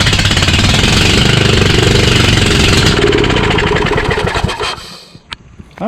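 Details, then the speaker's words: Craftsman YS4500 lawn tractor repowered with a Kohler Courage 20HP, no muffler, parts cleaner sprayed in, cranked: loud open-exhaust popping for several seconds, then it dies. It seems to get some fuel; owner suspects a cylinder-head problem. "well that's a piece of it it sounds like it was kind of getting some gas right but i think something happened with the heads again"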